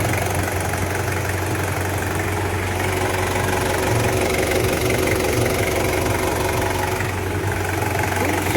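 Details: Toyota Surf 1KZ-TE diesel after overhaul for a piston knock, warm at idle: a steady, even clatter with no heavy knock. The engine now sounds healthy; normal idle.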